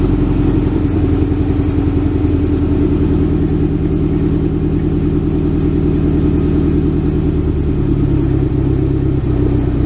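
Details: 1967 Ford Galaxie 500, cold first start on its rebuilt old two-barrel carb with a makeshift fuel jug: a loud, steady, fast run held above idle on the throttle, slight stumble near the end; not ready to idle yet.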